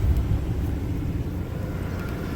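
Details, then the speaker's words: 2003 Ford Expedition 5.4L Triton V8 idling warm, up to temp with the heater running, after a heater valve replacement and coolant refill with no leaks; low, steady rumble with even firing and no miss or knock. Normal warm idle. "Alright, so the car's running. We got it filled up with some coolant. We're not leaking anywhere. We're up to temp."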